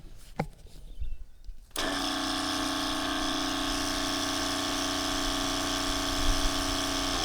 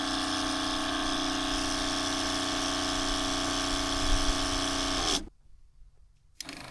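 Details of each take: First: Factory water pump in a Crusader caravan, heard from outside the van with a tap running: steady buzzing hum for about five seconds; noisy pump, louder inside, owner suspects hoses touching the van transmit vibration. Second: Newly fitted quieter replacement water pump in a Crusader caravan, after leaking joints were re-taped: even, steady motor hum with a fine pulse and no rattle, shutting off near five seconds. Much quieter outside than the noisier factory pump.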